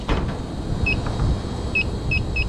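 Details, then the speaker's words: York packaged rooftop unit not cooling, one of two circuits down; a leak detector chirps faster and faster over the equipment rumble at a rusted condenser coil with torn fins, which is slightly hissing; the leaking coil is judged finished. "I can hear that thing man can hear it it's slightly hissing away this coil's done man"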